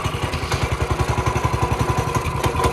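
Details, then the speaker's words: Small single-cylinder engine, long parked and with the oil unchecked, revived with just fuel and starter fluid: steady, even popping at roughly eleven beats a second. Normal idle. "But wow, that literally was all it needed, some fuel and some starter fluid."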